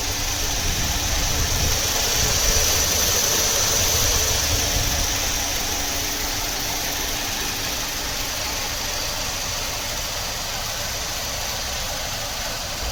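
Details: 2002 Saturn LW200 with 112,688 miles idles with a faint, uneven stumble in an otherwise steady beat. A random misfire is suspected, cause not evident.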